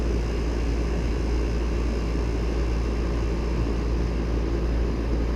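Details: Ducane R-410A condenser restarted mid-recharge, still about 1 lb 2 oz short of factory charge: steady, low, even hum with no rattles or squeals as it settles; normal running.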